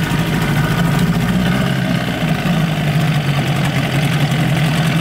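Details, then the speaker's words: 1988 Johnson Evinrude 6 hp two-stroke outboard in a test barrel after water pump repair: steady, buzzy drone holding even revs without surging or cutting out; running properly. "it's running good Panic aborted"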